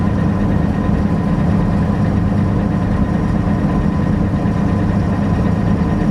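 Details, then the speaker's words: Massey Ferguson 760 diesel idles with a lumpy, uneven beat of about two pulses a second and is not charging. Lift pump losing prime and air leaks on the injection rail are suspected, not confirmed. Rough running. "that's why we quit running it because of that issue it's not running good though not charging either"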